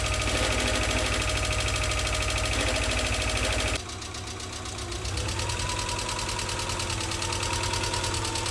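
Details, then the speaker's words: Subaru EJ22 just reinstalled and restarted, in neutral, warming up: fast, even light ticking about three per second, persisting through rev changes. "definitely some weird sounds two weird sounds there's that tick which you could probably hear"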